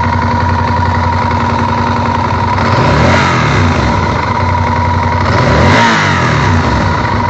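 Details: Honda VTR1000F V-twin idling with a loose, uneven tapping that rises as the throttle is blipped twice; cam chain tensioner knock, solved by replacing the cam chain tensioners.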